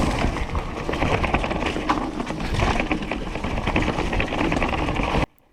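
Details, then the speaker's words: Bike with Shimano 8000 motor coasting downhill on an uneven trail: loose, irregular clattering rattle over the trail rumble, probably not from the motor; source not pinned down. "can hear there is a bit of rattling noise here it probably isn't caused by the motor but that doesn't really matter"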